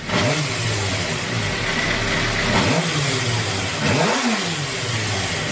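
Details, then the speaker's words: 2008 Suzuki GSX-R 750 K8, warm, after fixing an idle problem: three quick throttle blips each returning straight to a steady roughly 1000 rpm idle without hanging or spiking; fix confirmed. "comes right back no f i like nothing i'm telling you guys that's the fix for me anyways that's the fix"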